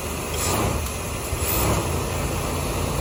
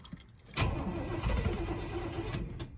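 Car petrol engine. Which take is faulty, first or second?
second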